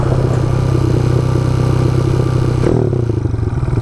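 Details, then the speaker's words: Motorcycle with a new battery fitted: engine holds a fast, busy idle that won't settle; the throttle is sticking open and not returning to idle. "oh it's sticking that's not what you want"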